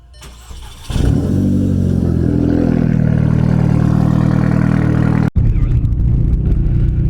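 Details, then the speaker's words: 2010 Seat Leon Cupra MK2, stage 2, with custom decat downpipe and back box delete, now straight-through after a collapsed resonator: it starts and settles into a loud, deep, steady drone with no puffing or ticking from leaks. Healthy, louder than wanted. "it's loud but i just drop a window yeah i won't lie guys it's a lot louder than i wanted it"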